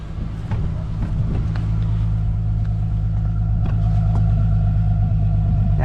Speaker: actually sounds like it's utterly normal